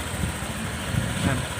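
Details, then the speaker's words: Honda PCX150 scooter that was hard to start and stalled when slowing unless the throttle was held, now after a top-end engine rebuild with valves set to 0.10 intake and 0.18 exhaust. Soft, steady idle with no throttle, an even pulse and no ticking or knocking. Normal idle. "ปล่อยเบรกเลยครับเสียงเงียบๆนะครับเงียบๆเลยไม่ต้องเร่งด้วยนะครับนิ่มๆเลยนะนิ่มๆเลย"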